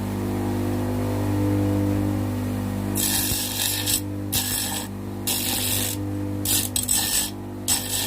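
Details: Homemade bench grinder mounted on a table, grinding an angle iron: steady low motor hum with harsh gritty bursts as steel meets the wheel, motor holds speed; running fine.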